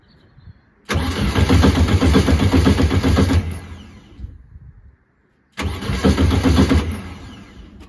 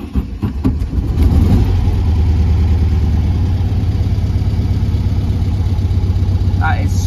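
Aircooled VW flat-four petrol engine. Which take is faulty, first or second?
first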